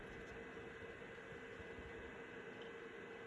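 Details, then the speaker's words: Citizen W1D diskette drive in a Compaq Armada 7770DMT after belt replacement, booting MS-DOS 6.22 disk 1: steady soft whir with faint hum and light seek chatter, reading smoothly and fast without scraping. "Doesn't mean it is good. That's a very good sign. And this diskette drive, or the diskette rather, is disc 1 of the MS-DOS 6.22 installation, and it looks like it is handling that just fine."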